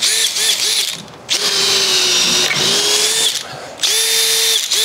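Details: Makita DDF486 cordless drill after an electronics repair, since before it only made odd noises, tested in second speed under load: short bursts of high motor whine dip slightly as the bit bites, with no slipping or grinding.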